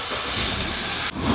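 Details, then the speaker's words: Audi A5 after misfire codes were cleared and it was restarted, run for about five to ten minutes: steady even hum with a brief dip, no knocks or misses; smooth idle with no check engine light, owner thinks it's fixed. "been letting this thing run for about five ten minutes no no lights no check engine lights so I'm thinking it's fixed she's running really smooth right now"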